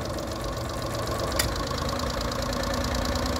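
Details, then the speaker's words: Honda 30hp 4-stroke outboard after carb cleaning and water pump work, idling in neutral, not overheating, weak tell-tale suspected clogged: smooth, even idle around four beats a second, no misses or rattles; normal idle. "All right, that's idling in gear. Nice and quiet, quiet little motor. Running good."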